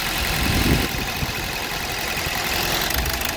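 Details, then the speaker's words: 2012 Hyundai Verna Fluidic idling, cylinder 3 not firing due to faulty ECM injector driver (low injector supply; injector swap ruled out injector). Uneven, stumbling idle with irregular knocks and engine shaking on its mounts. "Engine ਦੀ ਜਿਹੜੀ ਨੋਕਿੰਗ ਆ ਤੁਸੀਂ ਦੇਖ ਰਹੇ ਹੋ ਜਿਹੜਾ engine Mount ਕਿਵੇਂ ਕਰ ਰਿਹਾ ਤੇ ਇਹਦੇ ਚ ਫਾਲਟ ਆ ਉਹ ਤਿੰਨ ਨੰਬਰ ਸਲਿੰਡਰ ਚ ਹਾਂਜੀ ਜਿਹੜਾ ਇਹਦਾ ਫਾਲਟ ਆ ਉਹ ਫਾਲਟ ਈਸੀਐਮ ਚ"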